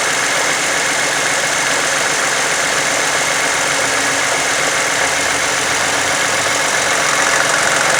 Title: Funny engine noise 2009 toyota sienna